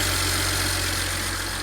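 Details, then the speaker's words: 2007 BMW 335xi N54 with 135,000 miles, idling after turbo replacement, first run in about four months: smooth, even low hum with no knocks, rattles or surging. Normal idle. "all right guys there you have it it runs this car hasn't been started in about four months as I've been working on it"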